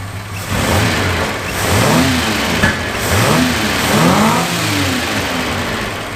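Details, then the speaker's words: 1976 Capri Ghia, carbureted, running after carb fuel leaks were fixed; getting warm, vacuum systems not working, tune uncertain. Engine picks up cleanly on several blips and drops back without stumbling or popping; carburetor fuelling properly. "so fuel system's great she seems to run fairly well but i can't i'm not sure if it's spot on yet"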